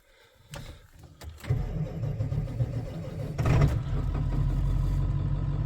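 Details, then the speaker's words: Diesel V8 truck at -8°, outdoors 3-4 hours, glow plugs cycled, after two new batteries replaced weak ones that cranked slowly; brisk cranking at twice the former speed, catches and settles to an even rumble on all 8 cylinders, no smoke: normal start. "Well, friends, this thing turns over at twice the speed. I don't know if you guys could hear that. It fired up, but here's the main thing. It fired on all 8 cylinders."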